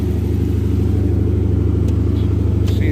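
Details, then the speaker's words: 2012 Chrysler 300S 5.7 HEMI after alternator replacement, idling high with no throttle response and flashing codes: deep steady idle held fast, never settling, from a faulty accelerator pedal position sensor. "idling idling high all right we are scanning for codes after replacing the alternator"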